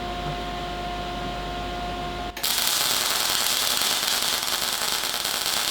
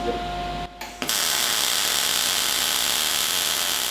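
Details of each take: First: Cigweld Transmig 165ST MIG welder on thin plate at about 16 volts with wire speed turned way too high: harsh, uneven crackling and spitting instead of smooth sizzle, leaving a high lumpy weld sitting on top, not wetted into parent metal; wire speed too high. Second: Cigweld Transmig 165ST MIG welder on thin plate at about 16 volts, wire speed adjusted to about right: after the strike the arc settles into a steady, even frying-bacon crackle; normal MIG welding arc.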